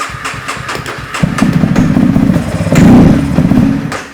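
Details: 2015 Honda CBR300R with 4,000 miles, sat nearly two years and won't start. On starting fluid sprayed into the intake with the throttle open, it cranks, catches and revs unevenly, then dies; suspected bad fuel pump, injector or filter.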